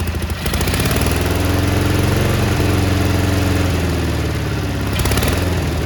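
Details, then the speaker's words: Cub Cadet 1430 garden tractor, sat abandoned for years with fuel turned red, first start on ether: engine hunting up and down at idle with an uneven beat and faint miss on one side, burning off old deposits; surging idle, dislikes idling. "there she is look at that it's surging a little bit but it's burning off all the crap that was on it"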